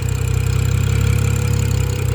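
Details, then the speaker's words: BMW F10 535i idling after an eccentric shaft repair; the owner suspects a valve cover gasket leak. Smooth, deep idle with a quick, even pulse and no ticks or knocks; the engine sounds good. "It sounds good. Everything good."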